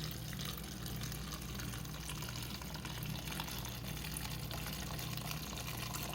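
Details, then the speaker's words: Whirlpool refrigerator with new #4396508/4396510 water filter, first flush through the dispenser: uneven water flow spitting and sputtering with a hiss as trapped air is pushed out of the filter; normal, clears as air is replaced by water. "initially you're going to have air pockets in the line so this is going to spit and splut and spider at you and then eventually that will clear out as you replace all of the air in the filter with water"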